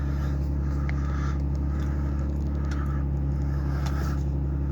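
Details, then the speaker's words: 2003 Ford Taurus SEL, check engine light on, idle air control overspeed error: idle steady drone with uneven lumpy beat; rough idle, idle air control suspected. "as you can see the check engine light stays on let me close the door here and the idle is is running rough as you can tell okay and it's not normal that it runs like this"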